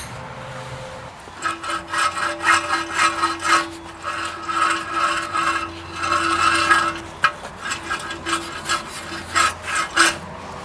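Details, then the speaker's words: Passenger-side wheel bearing from a 2002 Mitsubishi Lancer, pulled off and spun by hand, gives a harsh, uneven rasping grind: worn wheel bearing, replaced because it was noisy. "If your wheel bearing ever sounds like this, I just pulled this off the Lancer. I think there's a large inherent problem happening."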